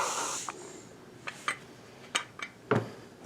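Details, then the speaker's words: Rebuilt Midland Ross brake booster on a 1970 Dodge Charger with drum brakes, engine off, testing reserve vacuum: short airy hisses each pedal press as air enters through the rear of the hub; booster breathing normally. "boosters have to breathe because when you're under vacuum from the plate something has to come in and take up the space know that they can equalize"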